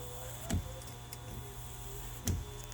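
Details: 2008 Buick Enclave CXL 3.6L LY7 AWD front wipers, after re-aligning the wiper transmission arm on the motor in park position and replacing clips: quiet motor whir with a soft thunk at each end of the sweep; cycling and parking normally.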